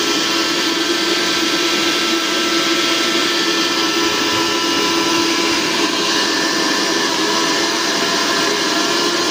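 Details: Mixer grinder after repair, its faulty mains cord replaced: steady high-pitched motor whir with a constant even tone and no stutter or grinding; it runs normally.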